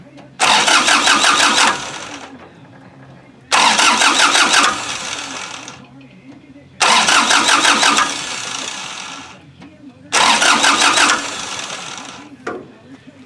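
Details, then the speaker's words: Kubota L2350 tractor diesel with a no-start blamed on a starter wire problem, cranked after tightening the battery clamp with vise grips; glow plugs not heated, so it won't fire. Four strong, even one-second cranking bursts; starter circuit healthy. "it now i'm not allowing to start because the glow plugs never heated up so that's one reason why i shut it off real quick"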